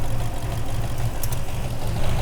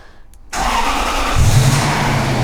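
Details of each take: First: 2001 Toyota Land Cruiser 100 4.7-litre petrol V8, off the road since 2016, after correcting O2 sensors: smooth briefly then smoky, low choppy idle with dropped pulses; rough idle misfire. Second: 2001 Toyota Land Cruiser 100 series 4.7-litre petrol V8, off the road since 2016, after fitting a secondhand ignition coil, MAF sensor and new O2 sensor to cure misfire and jerkiness: brief crank, catches at once, settles into a smooth, steady, even idle.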